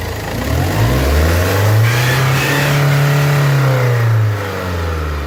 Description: When the engine exceeded 2500 RPM, a loud noise was heard coming from the engine due to exhaust gas leaks through the exhaust manifold gasket.